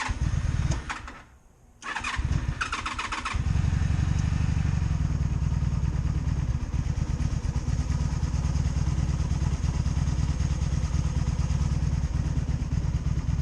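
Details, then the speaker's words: 2002 Honda Magna VF750C V4 under rebuild, cold start on choke held open by hand: brief cranking, then catches and settles into a steady, even low burble; healthy cold start. "Choke out and start. Kind of gotta have to hold it open because it wants to spring back closed."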